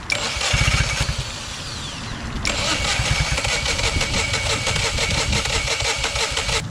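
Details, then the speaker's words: 2010 Yamaha 25hp four-stroke outboard bought for $150, rust found inside, now running after some work: catches after brief crank, settles into steady even idle with bright exhaust rasp, no knocks; normal healthy idle. "I got this thing running took a little bit to run properly and I had a mess at the park but after all that she's great running engine isn't that amazing or what for a hundred and fifty bucks"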